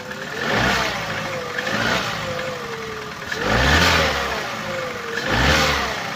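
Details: Opel Corsa D, 2011, 1.2 L (1229 cc) petrol A12XEL, 63 kW/86 PS, 150,980 km, revved in three long blips: a dull knock rides under the rising revs; rod knock, diagnosed as connecting rod bearing damage.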